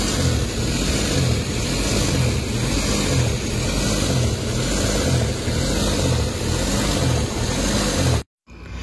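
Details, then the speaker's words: Suzuki K6A engine warmed up a few minutes, no fault codes stored: idle rises and falls roughly once a second, hunting instead of settling; cause not yet found, scan and voltage tests planned. Idle surge (hunting RPM). "Okay. So nakita niyo yung ah sistema ng engine talagang taas baba ang inyong RPM. So ibig sabihin may problema yung makina."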